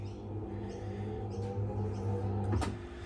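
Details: Samsung washing machine that had hummed without spinning, after a wiring harness repair; smooth, steady low motor hum at even pitch with no knocking or dragging: spin now running normally.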